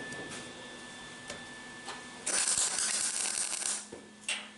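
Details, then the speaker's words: MIG welder striking an arc with ground clamp on a grassy/dirty table while building a 1964 Ford Falcon: brief harsh crackling arc that pops and sputters from poor ground; cleaning the ground surface fixes it. "Hear it popping? When you got that, it's because you ain't got a good ground."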